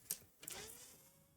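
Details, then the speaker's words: Lenovo ThinkCentre M72e (IH61M board) after Vcore/VCCSA (NCP102) repair, heatsink fitted: clicks at switch-on, fan whirs up then slows to a steady faint hum instead of staying at high speed; normal fan spin-up, VCCSA restored at 0.93 V. "Okay, so it's still running at high speed. No, it slowed down."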